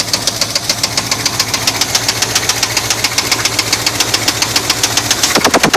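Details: 1981 Chevy C10 truck idling: steady, fairly even deep metallic knock about three or four per second from the engine bottom end; owner suspects a spun bearing, not confirmed.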